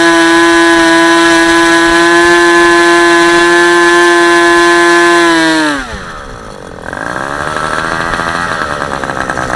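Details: Super Tigre G90 glow engine on a test stand, third run, about 10% fuel, supplied Super Tigre plug, APC 14x6 prop; steady high-pitched clean scream that drops away and picks up again; normal running.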